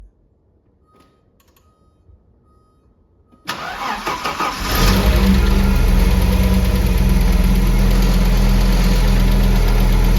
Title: Audi 3B Lifter Tick